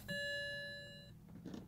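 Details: 2007 BMW 335i coupe in no-start brick mode with a red steering lock light after the key was left in and the battery died: single bright chime rings about a second then fades; ELV steering column lock warning.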